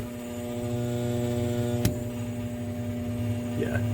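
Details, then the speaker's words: Home air conditioner indoor blower motor, switched on after sitting unused one to two weeks: a steady electrical hum with no spin-up or airflow, the motor not turning at all even after a whack; seized blower motor. "this puppy is not turning. Not at all."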